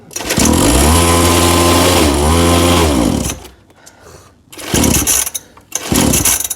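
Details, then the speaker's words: Small Chinese-made kids' quad, two-stroke, after carburetor adjustment: buzzes at a high, wavering idle then dies and only sputters in short bursts; idle too high and engine cutting out, owner suspects idle screw needs loosening further. "Bon, voilà, on a réussi. Mais bon, voilà, ça tient pas bien ralenti. Ah, il coupe, hein."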